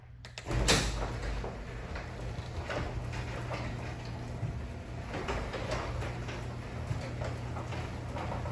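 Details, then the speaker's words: Garage door opening and closing after Blaster garage door lubricant was applied to all mechanisms: soft, even rolling rumble with no squeaks or squeals; the formerly noisy, squeaky door now runs smooth and quiet. "so you heard it for yourself compared to the before and after"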